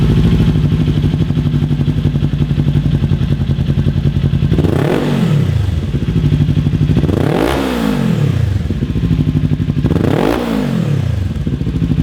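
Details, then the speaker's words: 2018–2023 Kawasaki Ninja 400 with an Akrapovic slip-on, quiet insert removed while hot: a steady, even idle with three clean rev blips that rise and fall smoothly. The exhaust note is loud, deep and healthy. "There it is without the insert in now, and that's a lot different. What do you think? It's pretty nice, a lot better than with the insert, because it's obviously louder, a little bit deeper."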